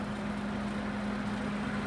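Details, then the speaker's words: TOS FO-6 mechanical gear hobbing machine (6 module, 600 mm max gear diameter) in working condition: whole hobbing head moving upward on rapid motorized vertical travel; steady even motor hum, no grinding, knocks or surging. Normal rapid traverse motor. "ठीक है, अभी पूरा hobbing head rapid में ऊपर की तरफ जा रहा है. रैपिड ट्रैवल्स में भी कोई आवाज नहीं है."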